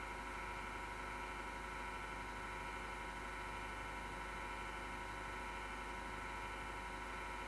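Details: Desktop PC power supply fan with a failing bearing: steady, rough whirring drone with a gritty grinding edge and felt vibration; grinding began December 2015.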